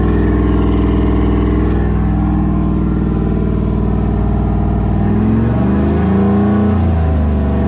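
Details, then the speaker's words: 5.3 V8 with Texas Speed 224r cam, untuned, during break-in run after first start: smooth fast idle, revs dip and climb cleanly with no ticking or knocking; pretty quiet, healthy. "you would hear some ticking i didn't hear any taking or nothing pretty quiet yeah bro"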